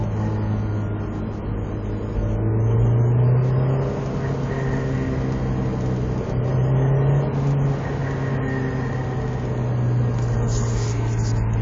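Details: Honda S2000 (AP2): a steady low drone swells and fades with engine speed between 4000 and 4500 rpm; a resonant vibration whose cause is unknown.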